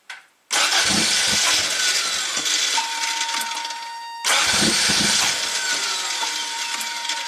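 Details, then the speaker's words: 1987 Toyota MR2, hot stalling complaint, scope on air flow meter switch: catches, runs rough with sagging revs, dies and briefly restarts; the switch went high as it stalled, cause still unconfirmed. "jeez really doesn't want to stay running and the switch went High"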